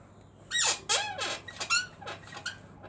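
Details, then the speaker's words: Motorbike rear shock squeaking, sprayed with GT85 lubricant which is wearing off: sharp, high chirping squeaks in short bursts as the rear compresses, seeming to fade a bit. "See, it's wearing off now, but the squeak is... it's weird, man. Seem to have gone a bit there."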